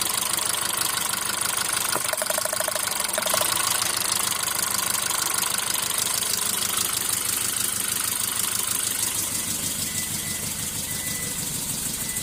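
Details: Hyundai Grand i10 engine at idle: uneven running with an irregular stumble and ticking, about two beats a second; engine misfire.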